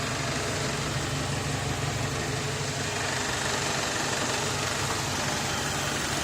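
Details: BMW E90, N46B20 2.0 petrol, automatic, idling in Drive; earlier squeak came from under car near gearbox, which has leaking pan: smooth, even low hum with no squeak or knock this time; sound gone, healthy.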